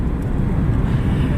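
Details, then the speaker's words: Dodge Neon after repairing a hidden rear strut fault that had come apart on the inside: test drive with a steady low road rumble, cabin now smooth and quiet, no rear suspension rattle. "okay party people we have success we have acquired in fixing that noise it's gone and it's nice and smooth and quiet in here I think you can tell"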